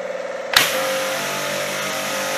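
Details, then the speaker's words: Pressure washer tried direct, on different phases, with and without stabilizer: steady high-pitched motor whine starts abruptly and runs on evenly, ignores switch, pressure clearly weak; owner suspects it can't build pressure to shut off, cause unconfirmed. "давление явно слабые олени слабы и вот он вот так что актив не реагируя на выключатель вообще не к вот видите не выключается как будто вы не может создать необходимое давление"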